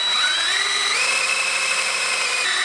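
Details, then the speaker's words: 1969 Dodge Charger engine, bone dry after rebuild with new cam, primed with a drill-driven oil pump priming tool in the distributor hole: steady high drill whine drops in pitch and strains, drill loading as oil pressure builds. "Now you can hear the difference. There's load on the drill now. That means that pressure is finally starting to build"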